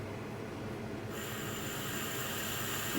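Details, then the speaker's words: Laser engraver air assist switched on before a job to keep smoke and debris from the laser nozzle: quiet machine hum, then a steady even hiss comes on sharply and holds; air assist flowing normally. "we have to turn on some air so that we don't get any smoke or debris up into the laser nozzle so we'll turn on the air until we can hear it"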